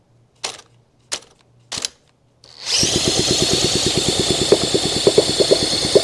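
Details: Honda SL125 single that sat for years, its seized engine just freed, on a fresh battery. Three clicks, then a steady quick electric crank with even compression pulses that never fires: it cranks but won't start.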